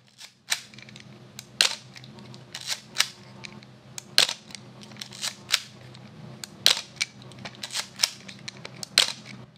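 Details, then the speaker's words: Yashica TL Electro-X SLR with a Copal Square shutter: single soft, damped shutter clicks every couple of seconds, with no harsh slap or bounce. The shutter sounds smooth, dampened and healthy. "it's awesome it sounds great it's smooth it's dampened"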